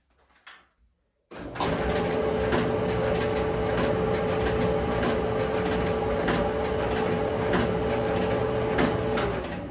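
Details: Maytag electric dryer spinning empty, heard with the safety switch held in: loud rumble, steady hum, irregular knocks and rattles; owner feels it comes from the front end of the drum; cause not confirmed.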